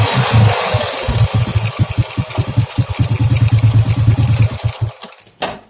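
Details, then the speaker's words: Old Honda Grand after swapping out the leaking spark plug cap and refitting the bike's original CDI: single-cylinder thumping at roughly three beats a second with a few throttle blips, then shut off; engine running normally. "CDI-nya saya ganti lagi pakai yang ini ya, yang bawaan motor ini. Nanti akan ada perbedaan di gasnya, lebih enak."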